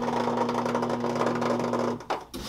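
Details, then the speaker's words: Whirlpool Duet washer being troubleshot for an F3E1 error, run with top and back panels off: a steady buzzing whir with a fast rattle runs for two seconds after the door locks, then cuts out, before filling; unidentified noise. "see that's the noise i don't know what that noise is that is just a weird noise"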